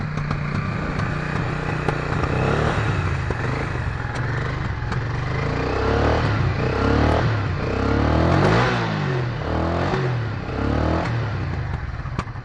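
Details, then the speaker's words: 1996 Honda NTV 650 V-twin, barn find sat six or seven years, old gas, throttle blocked slightly open, cold winter run: uneven chuffing exhaust at about 220 pulses a minute, little smoke. Puffing exhaust; cause suspected, not confirmed. "i don't know if you can hear me but it doesn't smoke very much but is puffing and because the old gas and"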